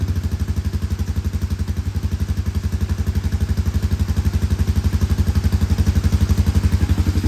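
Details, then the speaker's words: Honda Recon ATV with a new petcock, after a hard start on sprayed brake cleaner. The single-cylinder engine now idles on its own, steady and even, with no misses or stumbling: a normal idle. "Yeah, I think it was. Seems to be running on its own now."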